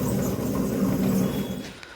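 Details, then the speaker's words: RO water purifier booster pump, which is said to sound like sparking. A steady motor hum carries a faint, thin, mouse-like squeak; the bearing inside the pump has gone bad. "दोस्तों ये कुछ नहीं है, ये इसका bearing का आवाज़ आ रहा है। पंप के अंदर जो बेरिंग है, ये बेरिंग ख़राब हो चुकी है।"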